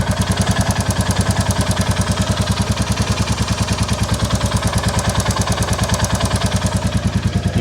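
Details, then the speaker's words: 2022 Royal Enfield Classic 350 Reborn at idle, still cool, before the valve adjustment; light crisp tick on every beat, about three a second, from the top end; valve train tick, clearances need setting (specs 0.08 mm intake, 0.18 mm exhaust). "hear that top end tick so let's sort these valve clearances before it gets too hot"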